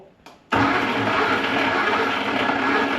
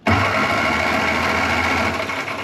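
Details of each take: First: 1961 Mk1 MG Midget roadster sat 54 years, likely original starter: harsh, dry whirring grind for about three seconds with no engine catching, then a puff of smoke; starter dead, armature showing wear. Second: 1961 Mk1 MG Midget roadster parked since 1971, 54 years, fitted with a fresh replacement starter: quick, even whirring crank with steady pitch, no grinding or clicking; turns over freely, four cylinders with good compression.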